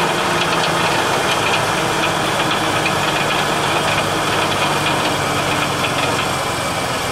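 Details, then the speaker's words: Ford Taurus at idle, filmed underneath: loose irregular metallic rattle over steady idle, seeming to come from behind the engine; owner suspects exhaust, nothing visibly loose, source unknown; rattle at idle. "yeah I still say it's the exhaust though cuz I don't hear it under come cuz it's coming from behind the engine it's not actually in front of it or nothing"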